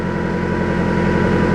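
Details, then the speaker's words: Engine after a 15-minute run with liquid head gasket block sealer, thermostat open and heater hoses warm: a steady low idle drone with an uneven, lumpy undertone; the combustion-gas tester turns yellow, so the gasket is still blown and the sealer failed. "all right right up that I'm not too impressed with the way the engine sounds right now"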